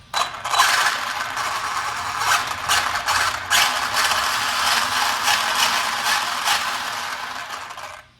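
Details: Arrma Senton 3S RC truck on 5200mAh 35C battery after slipper clutch service and new Hot Racing metal spur gear: buzzy gear whir surging in short throttle bursts, no clicking or skipping teeth; clean gear mesh.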